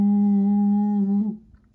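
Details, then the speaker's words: Homebrew 15/10 m SSB transceiver on receive: steady low hum-like howl near 200 Hz, then abrupt cutoff; intermittent oscillation, owner first suspected the AF amp, hum appeared as carrier oscillator/BFO waveform got fuzzy. "but then I noticed that occasionally when I'd be on the air with this thing on receive all of a sudden it would seem to go break into oscillations and it would start a low-level howl"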